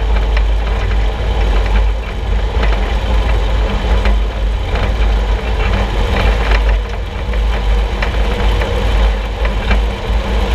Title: Suspension Noise 6Nov16 [loud]